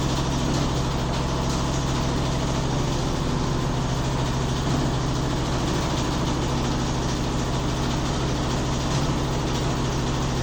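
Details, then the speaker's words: Neighbour's Midea HealthGuard washer in spin: a heavy, steady low rumble with an uneven pulsing beat, heard daily. It is said to be worse than the owner's own washer when its heating element had failed; something loose inside is suspected, not confirmed. "Tá pior que a minha quando com a resistência estragada, né? A minha não tem isso tudo. Mas o barulho é semelhante."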